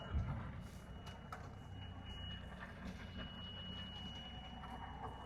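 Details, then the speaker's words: Yamaha 250 SHO outboard on an Action Craft bay boat during a sea trial: an uneven, labouring low rumble under a steady warning alarm, with a hot smell. The engine runs rough and may have thrown a rod. "Motor's not happy. Hold on. We have an alarm going off. Hold on. That sounds bad."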